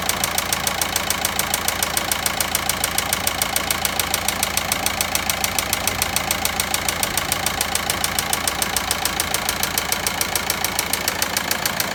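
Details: Volkswagen Passat 1.9 engine at steady idle with a crisp, regular knock near 3.5 per second, loud above the engine noise; engine knocking, source undetermined.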